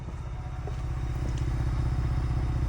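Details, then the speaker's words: Ford Bronco, switched off with all electronics off: a steady, even engine rumble carries on as the engine keeps running; intermittent no-start and no-stop faults are present, and a headlight issue is suspected. "all the electronics are off the truck is still running you can hear"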